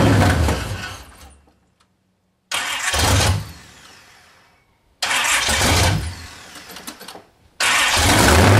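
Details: C30 383 stroker with newly fitted high-torque racing starter replacing stock: three strong brisk cranking bursts, each firing briefly then dying; starter sounds healthy, engine still won't idle.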